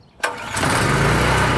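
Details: PowerSmart PS44 3000W generator that sat unused since 2017, on full choke: sharp catch, then rough uneven chugging that never settles; fires but won't keep running. Owner suspects a fuel problem, possibly stale fuel.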